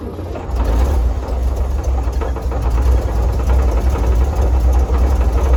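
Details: Circa-1952 Austin truck, 6-cylinder petrol, 4-speed, abandoned roughly 18–20+ years, gravity-fed from a roof-mounted boat tank: deep steady rumble settling into an even idle with no knocks; engine starts and runs normally, owner unsure of a slight miss.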